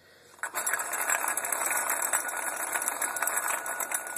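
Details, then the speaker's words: 1993 Jeep Grand Cherokee Limited 5.2L V8, 175,000 miles, running: quick dry double clacking, no power loss, mistaken for rod knock or piston damage; found to be a damaged idler pulley, other pulleys spun fine with belt removed; fix is replacing the pulley. "this is where the culprit is act what I thought it was a knocking noise"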